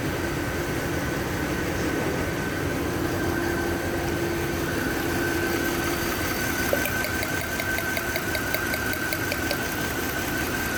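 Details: Mercedes-Benz W221: engine idles with a steady hum but an uneven, stumbling beat from a misfire.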